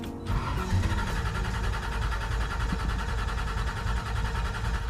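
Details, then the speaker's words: Carbureted Ford Ranchero cold start at about 20° with the choke being adjusted, just after the loose starter was tightened. It catches and runs rough and uneven before settling: a hard cold start. "20° in a carburetor not always the best he's messing with the choke you can do it"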